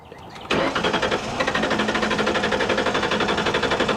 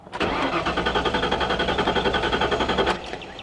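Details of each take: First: 1998 Ford Explorer V8 after long sitting fires right up and settles into a smooth, quiet, steady idle with no tapping or ticking; normal idle. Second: 1998 Ford Explorer with a fresh battery and about a quarter tank of fuel: strong, even cranking at nearly four beats a second for about three seconds but it never starts. Theft light is out, oil pressure good; failed fuel pump.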